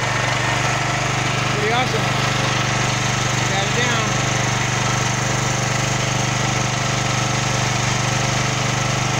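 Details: Champion 9000-watt dual-fuel electric-start generator, previously backfiring and stalling after about 10 seconds; after the fix (wiring), steady, even drone at one pitch with no misses, surging or backfires; running properly.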